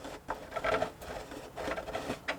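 Short scraping rasps come and go as the shaft is turned by hand; it's binding in a stern tube hole bored too tight.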